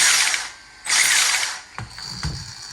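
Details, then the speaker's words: 1/10 Holden VE SS Ute RC car after a brushless motor and ESC replacement: fast, high-pitched ratcheting clatter in bursts over the motor, because loose wiring is catching the cooling fan blades. "So, oh, it's hitting the fan. That's why it's making that noise. If I can, I'll see if I can just force stuff down the side here so nothing gets caught up."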